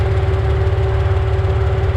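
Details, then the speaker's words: Car with a 4.0 engine after an engine lockup, warm, being checked for head gasket: deep lumpy uneven idle with vibration and a worse-than-usual tick. Owner hopes it's down one cylinder; no check engine light. "the thing is jumping all over the place and it's not supposed to do that so yeah hopefully we're down one cylinder"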